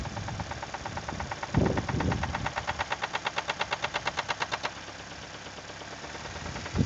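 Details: Toyota 2E engine, knocking began after a 5-minute run at 155 km/h by speedometer: crisp, rapid tapping knock ticking steadily over the idle, with some handling thumps; cause unclear.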